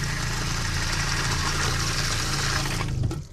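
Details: Doulton-filter water filtration station pump after switching from the empty right tank to the second tank and priming: steady low buzzing hum with water rushing, even until it stops; primed and running normally.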